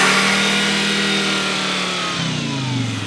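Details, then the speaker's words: Volvo S60 with a big turbo upgrade: revs stay high and stuck instead of dropping back, then wind down at shutdown. Vacuum leak, suspected from a brittle, crumbling throttle body gasket. "stuck wide open i have to shut her down that's not good well because it's a vacuum leak that's nasty"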